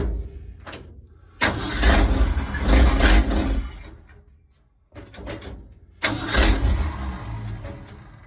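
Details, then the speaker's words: 1965 Ford Econoline 100 pickup, sat for years, cold day, after fixing swapped number 1 and 2 plug wires on the cap: catches after short crank, steady even low rumble, restarts cleanly; sounds healthy. "Okay, didn't sound bad at all. I would call that a win."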